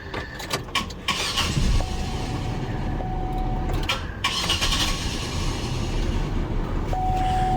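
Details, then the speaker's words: 2001 Chevy Monte Carlo 3.8L with random stalling, stumbling and intermittent no-start: steady whirring crank that never fires. Fuel pressure stays rock steady, about 40 psi at rest, so not the fuel pump. "but we have rock steady fuel pressure so whatever this problem is on this car it is not fuel pump related it doesn't want to start"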